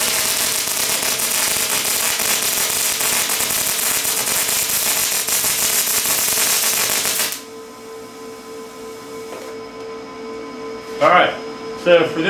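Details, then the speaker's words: Lincoln 210MP MIG welder at 360 in/min wire feed and 22 volts on very thick plate: crisp, fast bacon-frying crackle for about seven seconds, then the arc stops; short-circuit transfer, too cold for the plate. "you can hear the bacon sizzling sound I mean I don't hear it as bacon sizzling but that's how a lot of people describe that they sounds like bacon frying that means you're on a short ccate"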